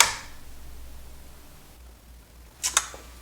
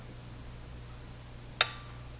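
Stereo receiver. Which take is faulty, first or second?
first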